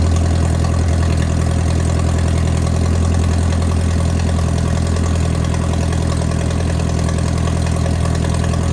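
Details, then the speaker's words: Mercruiser 3.0 marine engine with cracked block, warm idle after running cold: low mostly even beat with occasional stumble; possible idle misfire. "I'm going to look into that mire a little bit on cylinder 4 and uh yeah you ready to ship okay so I pulled number four spark plug out and it was wet with water"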